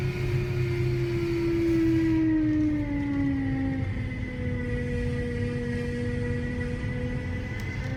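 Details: BMW E92 M3 V8: a clear, steady whine rides over the low engine rumble, dropping slightly in pitch as revs ease. Cause of the whining noise unknown.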